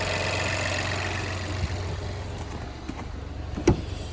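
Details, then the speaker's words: 2021 Chevrolet Trailblazer LT, 1.3 L turbocharged engine, salvage car, started and idling: smooth, even idle with a steady low hum, no knocks or misses; engine sounds perfect, normal idle. "it will start they got that engine sounds perfect"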